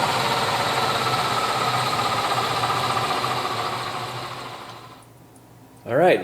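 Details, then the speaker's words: Electric BMW 320E conversion with Siemens motor, newly connected Scott Drive controller: steady, even hum with a light whine, no shake or vibration as before, then quiet spin-down; traction motor now runs smoothly. "at least it's turning and turning smoothly that's a big difference yeah that's what it should sound like"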